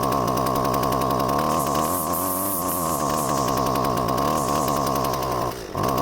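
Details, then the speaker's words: Husqvarna 128CD trimmer, curbside find, started cold, hard starting, little smoke: high-revving buzz whose pitch wavers and sags then briefly stumbles; running rough, cause unknown. "Yeah, something ain't right."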